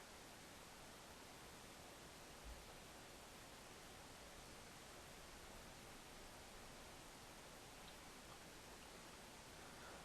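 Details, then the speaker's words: Corsair AX1200 power supply after replacing whining/ticking stock fan with Noise Blocker Black Silent Pro PK3 1700 RPM fan, not at full speed, mic about a foot away; only faint even airy hiss, ticking gone, healthy. "and that's how quiet it is and that's corset X1 1200 with a noise blocker black silent Pro pk3 1700 RPM fan in it"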